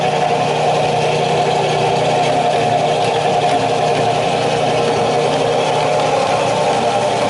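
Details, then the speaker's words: Early-1900s Moody Terrebonne power hacksaw, V-belt driven, with a non-working coolant system and a previously locked-up pump: a steady, even mid-pitched mechanical drone with no knocks or grinding; it runs normally. "And I mean, this is really just a hacksaw that is powered, and that's basically all it is. And I'll actually turn it on for you and let you see it work here."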